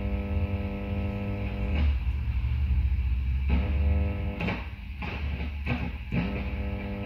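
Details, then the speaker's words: Mezzabarba Trinity 100 W guitar amp on the bench: steady low mains hum with buzzy overtones when an oscilloscope ground clip adds a second ground reference; ground loop, the amp being grounded in only one spot. "it's pretty obvious what's happening there right so as soon as this amp a second ground reference the amp goes into a ground loop situation okay"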